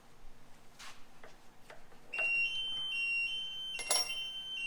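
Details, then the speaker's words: Machine shop while drilling Minneapolis-Moline G1000 tractor cylinder heads for valve guides: quiet shop noise, then a steady high-pitched gate entry buzzer holds about three seconds, set off by something blowing in the wind. "there is something out there blowing in the wind today that keeps uh setting off the gate buzzer makes me think customers have pulled in if you hear that sound in our videos it's because somebody came through the gate"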